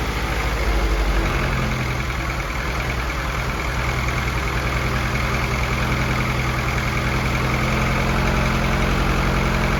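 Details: F24 newly built motor, first start-up run: even steady idle with a smooth low pulse, no knocks or ticks, no leaks; fresh engine sounds healthy, valve lash to be checked after break-in.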